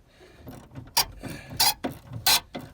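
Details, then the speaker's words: 2010 Mazda 5 sliding-door lock actuator (latch), door panel removed: three short harsh gritty buzzes as it cycles; actuator is rusted, probably from water intrusion, being replaced. "you hear that, eh? You know that's a little rusted, right? It's probably water that got to it, rusted it out."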